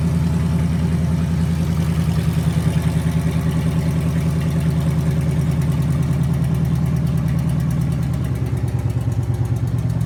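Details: 2009 5.7 Hemi V8, junkyard engine with 80K miles, on a run stand with Hotwire harness and used 2009 Challenger PCM, return-style regulated fuel rails, fresh oil; first startup catches and settles into a steady, even lopey idle with no knocks or ticks: healthy running.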